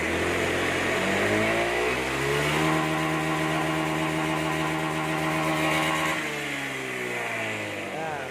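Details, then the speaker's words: Motorcycle after replacing faulty TPS sensor: engine climbs cleanly from idle to full throttle, holds, falls back with no stutter or misfire; TPS reading now reaches 75 at full throttle versus old sensor dropping to 20; normal revving. "ketika di gaspol, motor nggak ngebrebet karena angkanya mentok di 75."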